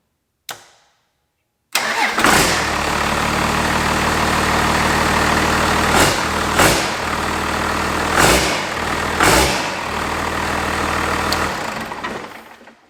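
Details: 5.9 Cummins from a 1993 Dodge Ram, swapped into a 1967 Ford F-250, started after engine bay wiring with the fuel solenoid hooked up. It cranks briefly, catches and settles into a steady, even diesel clatter with light blips: a healthy start and idle.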